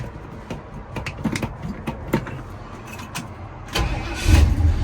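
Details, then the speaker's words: 1978 Ford F150 with a 351 V8 and automatic transmission, cold start with the gauge showing completely cold: brief crank catches almost at once and settles into a steady, even low rumble; starts cleanly without hesitation. "That's how easy it starts. And you can see that gauge. It's completely cold."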